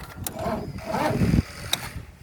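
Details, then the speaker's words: John Deere 225 mower that died after testing blades; short sluggish crank fading without firing while jump starting. Owner suspects starter going bad or five-year-old battery, unconfirmed. Finding: slow crank. "i didn't even try to crank fast at all either my starter's going bad it might be my battery though because it is five years old"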